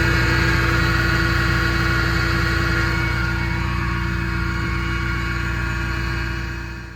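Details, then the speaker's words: 2006 Ford Mustang GT, engine idling with door open: steady mid-pitched supercharger-like whine from the failing water pump, which also leaked coolant and triggered an overheat warning; power steering pump replacement had not cured it. "So that's the wine. There's a water pump right here."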